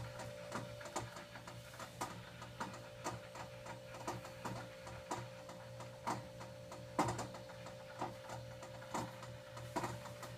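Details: Arrowhead water cooler, a week old: steady low compressor hum with irregular sharp ticks and rattles breaking through, one or two a second, when it turns on and runs.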